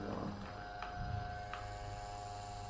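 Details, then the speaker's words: Electric fan that had hummed loudly without spinning, now run after its capacitor was replaced: it starts straight away with a steady, even hum and a soft constant whir, no labouring drone or stalling, so normal running. "Nah, ternyata dia langsung nyala, Guys. Langsung jalan."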